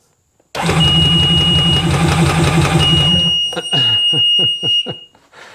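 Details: Sea-Doo GTX DI, 268 hours, compression test at full throttle with plugs out and fuel off: even, rapid cranking with high whine; one cylinder shows no compression, cylinder scored.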